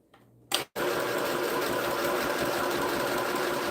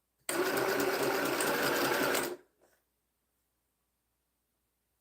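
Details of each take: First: Sewing machine starts sewing when switched on, no foot pedal needed; quick click then steady even needle chatter about four stitches a second, smooth and unlaboured; normal. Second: Sewing machine starts sewing as soon as it is switched on without the foot pedal pressed; motor and needle chatter run steadily about two seconds then stop.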